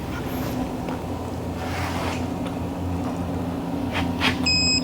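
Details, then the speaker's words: Electronic torque wrench on a 2019 Ford Escape front wheel hub bearing, tightening in 90-degree angle mode: short, high beeps over a low hum warn that torque exceeded 110% of the wrench's maximum. "Okay. Over maximum torque of 110%. Turn off, stop. Stop it. I get it."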